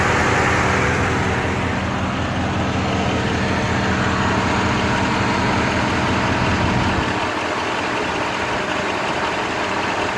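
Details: Rover 3.5 V8 with a wobbling pulley, at idle: a steady idle with a faintly uneven, lumpy beat of about four pulses a second. Misfire at idle.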